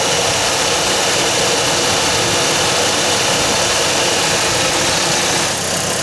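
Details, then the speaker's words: 2007 Chevy Colorado 3.7 L five-cylinder after replacing the belt tensioner that caused a metallic ringing. Steady, even idle with a smooth hiss and no ringing or chirp from the belt drive: normal idle. "the issue was the belt tensioner I've just replaced it I'll start up the truck now and you can hear it"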